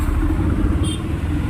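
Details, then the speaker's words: Mahindra Jeeto/Supro BS6 diesel just restarted after clearing SCR fault codes; urea (DEF) pipe later found burst: steady low diesel rumble, no misses, knocks or hunting; normal idle. "Start हो गया।"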